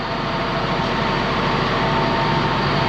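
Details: Abandoned ex-US Army Cat D6R high track dozer, first move after refilling final drive and transmission: steady, even diesel roar with no knocks, grinding or whine as it moves off; drivetrain sounds healthy.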